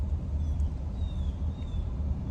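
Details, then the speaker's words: 2013 Mercedes-Benz GL450 4Matic test drive at 10 mph after transfer case stretched chain replacement: low, even rumble, no grinding or jumping clunks as before; transfer case running smoothly. "now as you can see it's all good it's not doing that anymore so it's perfect it's all good"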